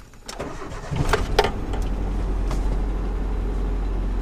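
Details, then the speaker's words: Nissan Hardbody truck, about 101,000 miles, after fresh full-synthetic oil and filter change, cold start with no radiator or coolant: engine cranks briefly, catches and settles into a steady low idle; earlier timing chain rattle now gone. "only do I not hear the timing chains rattle anymore but it's just for being cold outside the way it fires up like that"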